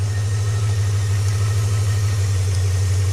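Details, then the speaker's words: Ford BA Fairmont Ghia 5.4 V8 at idle: deep steady rumble with an occasional faint stumble; intermittent misfire, left front cylinder dead, driver-bank rear cylinder cutting in and out; plugs or coils suspected, not confirmed. "So it seems to be sporadically engaging and disengaging the coils. So either the plugs are failing or the coils are failing, and it's making it a real pain in the ass to drive this car and really heavy on the juice."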